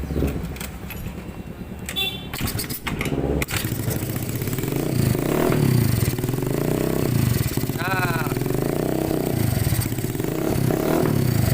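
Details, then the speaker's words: Honda Scoopy FI single-cylinder, kick-started after replacing a failed camshaft bearing and adjusting the valves: settles into an even, quiet idle with no ticking or chain rattle. Before the repair it was very noisy, like cam chain and rocker noise. "setelah ganti bearing noken as saja ya dan disekir klep skill klep dan ini Alhamdulillah motornya sudah bersih suaranya ya ini"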